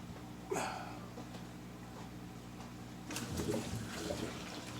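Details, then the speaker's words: Canister aquarium filter (FX-4/FX-6) restarted after cleaning: gurgly bubbling bursts, one sharp then longer churning, as it automatically purges trapped air; normal. "there all right you saw that big blurp of Bubbles and she's spitting up some material cuz"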